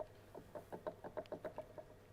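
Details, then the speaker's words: VW Golf Citystromer electric conversion drive unit with original five-speed gearbox: input shaft/coupler rocked by hand gives about a dozen light quick clunks in two seconds; too much play for the planned flywheel setup. "for me when I am going to have this flywheel here that is not good enough at all actually so this is just too much play you can hear"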